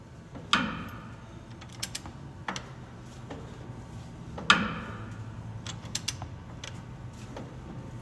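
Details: Brand-new diesel fuel injector, bad out of the box, possibly cylinder four: sparse, uneven sharp clicks with a couple of hard snaps and no steady pattern.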